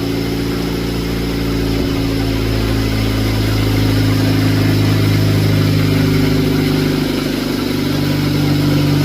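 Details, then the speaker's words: Honda Civic after the injectors were done, following earlier fixes to the plugs and distributor: smooth, steady idle, then clean revs that rise and settle. The flutter previously heard at the bottom of the revs is gone. "And it actually sounds a lot better. There's no more flutter."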